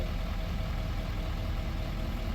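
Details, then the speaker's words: L5P Duramax diesel after roadside fix of cylinder 6 misfire (P0306, P0206, reduced power, service emissions): steady, even low idle with no skipping; misfire gone. "all the service emission stuff should be gone. And it is. The mist is gone."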